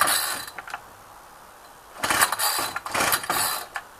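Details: Ryobi string trimmer, unrun two weeks, cold 8-9 degree day, long string fitted: three or four quick pull-cord rasps, each dying with no sustained firing; cranks but won't run, fixed by carburettor adjustment.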